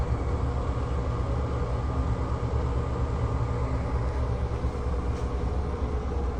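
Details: NuTone 696N basic exhaust fan, caked with dirt: steady heavy low rumble at constant speed drowning out normal whir; bad motor bearings.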